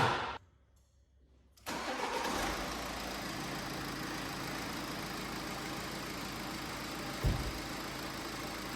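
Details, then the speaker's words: BMW X5 diesel started with the accessory belt removed: even idle with no whistle, so the squeal comes from belt-driven accessories: pulley, rollers, AC compressor clutch or alternator. "Ну сейчас же у нас звука нету э когда заводишь без ремня без ремня Нет это что-то из навесного то есть либо это полта либо это ролики либо это мека компрессора Ционе либо это генератор"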